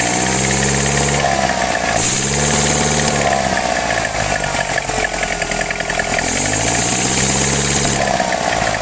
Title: {SOLVED CHECK COMMENTS}engine weird sound and backfire on carb swap